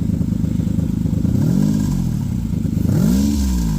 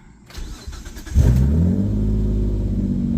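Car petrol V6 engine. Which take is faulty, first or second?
first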